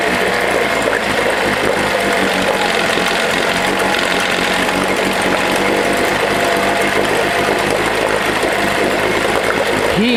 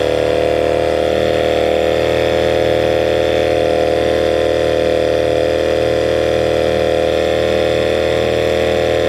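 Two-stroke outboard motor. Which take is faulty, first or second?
second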